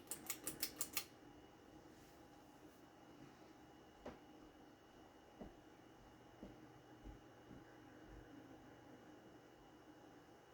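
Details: Vintage unknown-brand mid-80s lighted-housing 52" ceiling fan, rewired with Mainstays fan internals on its original motor, running on low speed. A few switch clicks, then only a faint, even hum with the odd light tick. It runs smoothly.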